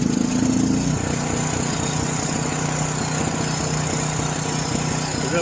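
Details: John Deere 6200-watt generator with a varnished carburetor from four-year-old fuel. After cleaning and adding gas, with the choke off, it runs fast and uneven, surging and hunting. The outlets are dead, possibly from high RPM. Cause not confirmed.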